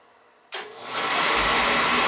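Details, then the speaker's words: Beckett oil burner that hesitated when starting, after adjustments and a new nozzle: silence then one clean whoosh as the flame catches into a steady roar with no hesitation; now starts properly. "That started. That was pretty good. yeah. We just made some adjustments on it and new nozzle."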